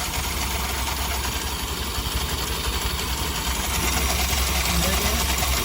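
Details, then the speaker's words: BS6 scooter with under 10,000 km, after cleaning clutch linings and greasing: steady idle with even low throb and mild belt-drive whir, no knocks or grinding; running sound reduced. "ఇప్పుడైతే greasing చేసి వాటిని clean చేసి వేయడం వల్ల ఆ running sound అది కొంచెం problem అనేది తగ్గుతుంది"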